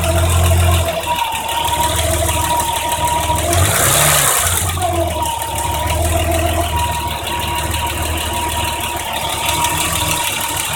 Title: BMW m20b25 noise after valve adjustment